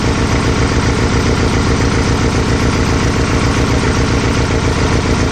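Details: VW Type-3 Fastback with dual carburetors and hex-bar linkage just installed and synced: steady even low idle with regular firing beat, no misses or surging; carbs balanced at idle, mixture screws left unchanged.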